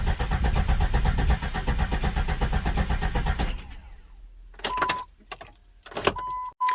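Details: Jeep Grand Cherokee 4.0 after head gasket replacement, first crank with fuel pump and injector fuses/relay pulled to circulate oil: steady starter cranking about four beats a second for over three seconds, no firing; cranking without start, as intended.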